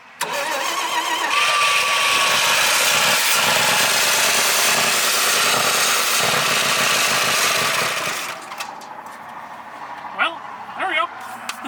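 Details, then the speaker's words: 1968 Dodge C500 LCF truck with new HEI-style distributor and plug wires, timing being advanced, running on starter fluid; loud, uneven, lumpy firing about eight seconds then dies; owner suspects plugged carburetor or stuck float: rough running. "it sounds better that's still better kind of sounds like around the field i think it might be plugged up in the carburetor possibly float stuck or something"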